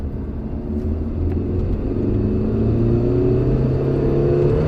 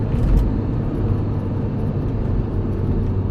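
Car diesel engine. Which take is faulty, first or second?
first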